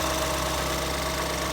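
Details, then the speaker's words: 2014 Ford Escape 1.6L four-cylinder at a steady, even idle with a smooth low drone after head gasket replacement, warmed up and test-driven; no misses or knocks, runs remarkably well, normal idle. "Drove it around, warmed it up a couple of times. Runs remarkably well."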